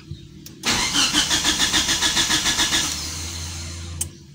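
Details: Old fuel-injected Mitsubishi Lancer with a GTI 4G67 engine, after ECT sensor replaced, injectors cleaned, timing set and burnt wiring tidied: starter cranks steadily about 3.5 pulses a second but never catches; crank, no start, ECU fault suspected, unconfirmed.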